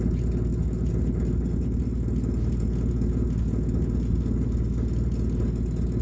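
Low, uneven rumble under a steady idle, pulsing roughly twice a second with no clear knock; source of the rumble undetermined.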